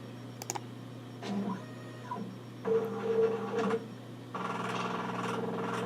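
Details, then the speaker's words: Nikon LS-8000ED film scanner driven by Vuescan, autofocusing at the start of a colour-slide prescan. Short bursts of low grinding motor whir with quiet gaps between them: normal autofocus motor noise. "you can hear the kind of grinding sound it makes that's a scanner doing its autof focusing that's normal for the scanner"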